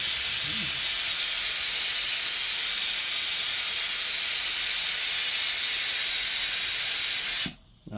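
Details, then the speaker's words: Home workshop air compressor with homemade air dryer and fitted relief valve, tank deliberately blown off to show refill: steady loud hiss of escaping air over seven seconds, cutting off abruptly; normal blow-down. "and I'll blast the air out, and then you can sort of see how long it takes to refill and hear the relief valve that I fitted work too."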